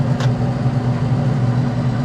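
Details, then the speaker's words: Traeger pellet smoker after replacing the failing induction (blower) fan: steady, even low hum with no rattle, scrape or wobble, pushing much more smoke; new fan working normally. "Now we can hear that fan spin. You can see now it's pushing a lot more smoke out. That's exactly what you want."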